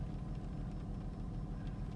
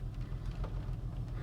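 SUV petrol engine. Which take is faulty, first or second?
second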